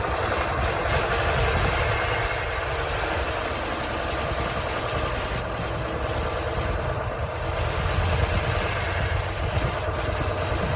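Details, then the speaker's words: 1964 Chevy C20 that sat 19 years, first start after filling the carburetor: coarse, lumpy, tractor-like idle thumping about four times a second. Oil pressure is good at 40 psi and it smokes. Rough idle. "idols and it's going to turn a little pressure it doesn't sound the best sounds like a tractor but it's actually got really good oil pressure 40 pounds oil pressure for 30 pounds"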